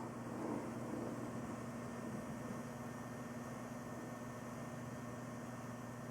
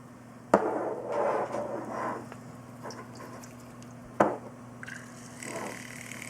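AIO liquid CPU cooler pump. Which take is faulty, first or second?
second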